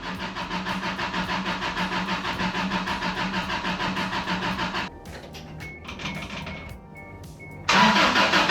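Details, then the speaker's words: 1990 Isuzu pickup after a lost cylinder and head repair, cranking with spark plugs disconnected to prime oil and bleed the new mechanical fuel pump: long, even starter churn about three turns a second, never catching; the new mechanical pump would not deliver fuel. "So, through many hours of pain and struggling, my new mechanical fuel pump would not pump fuel."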